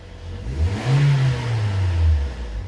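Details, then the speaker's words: 2013 Toyota Corolla 1.8 16-valve flex-fuel with CNG, automatic, customer reports noise on acceleration, A/C on: engine revs and falls with low droning whir as throttle closes, horrible belt-area noise. "largou o barulho [Música] volta muito feio tá bom vamos olhar na região das Correias ali barulho horrível barulho horrível vou desligar até medo"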